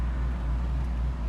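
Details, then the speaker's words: 1968 Chevrolet Camaro with an LS1 V8, warm, idling at a light with 40 psi oil pressure and a steady tach: deep, even rumble with an audible cam chop and no misses or knocks; a healthy idle. "can definitely hear that cam. Great chop to it, which I like. You can't even hear the engine. It's so quiet."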